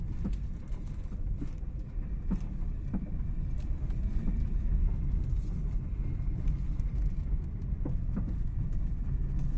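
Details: Toyota Carina driving, after replacing struts, sway-bar links, subframe bushings and tie-rod ends: over steady road rumble, a few sharp irregular knocks persist; front suspension knock, source still unknown.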